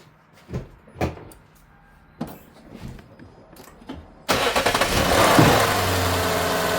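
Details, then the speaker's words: 2008 Lexus LS460 after replacing noisy serpentine belt tensioner pulley: a few clicks, then cranks, catches and settles into a steady quiet idle with no belt shriek; belt drive healthy, normal idle. "Start it up. Check our work. Make sure the noise gone. And call it a day."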